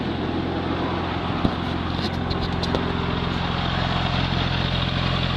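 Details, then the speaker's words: 2002 Porsche Twin Turbo, 61K, 415 HP, 6-speed manual, AWD, maintained with service records, heard from inside the cabin just after start: low, steady, even burble with no ticking, knocking or hunting; pretty quiet, a smooth, healthy idle with good oil pressure. "Pretty quiet from inside here."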